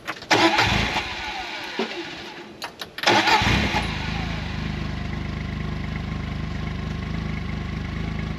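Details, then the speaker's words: 2016 John Deere Gator 825i after fuel pump replacement, before the test drive: a couple of short cranks, then it catches and settles into a steady, even idle with no stumbling or misfire. Normal start and idle; owner thinks the pump was the problem. "All right, guys. I can't say if it's running like a brand new one because I've never owned a brand new one and this one ain't mine."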